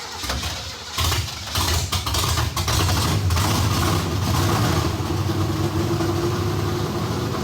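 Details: Kyle Petty Pontiac race car V8 first fire-up after electrical fix, carburetor bowl primed with gasoline, in shop: rough coughs then loud, deep, lumpy steady idle; runs properly though voltage drop while cranking remains, rewire planned.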